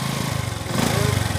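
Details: Honda XRM 125 idling in neutral after both crankshaft bearings were replaced to cure a grinding noise (the connecting rod had been replaced earlier). A steady, even, low thumping idle with no grinding or knocking.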